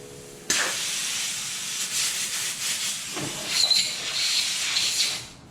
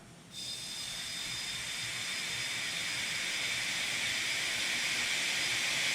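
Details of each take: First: Nissan 300ZX twin turbo boost leak test at 20 psi with blow-off valve vacuum reference disconnected: steady sharp air hiss swelling and easing, only leak heard is the blow-off valve venting. Normal blow-off valve venting. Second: Nissan 300ZX twin turbo, engine off, intake pressurised for boost leak test with fuel pressure regulator disconnected, owner reporting turbo lag: steady hiss of escaping air at the back of the intake near the idle air control valve.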